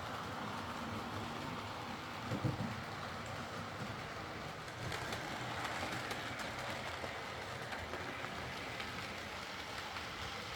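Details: Hornby R2959 Thompson L1 2-6-4T in BR apple green, running on the layout after greasing the worm gear: soft, even rolling hiss with faint rail clicks, no grinding. Earlier forward grinding came from the double gear lifting against the worm through gearbox play; now normal running.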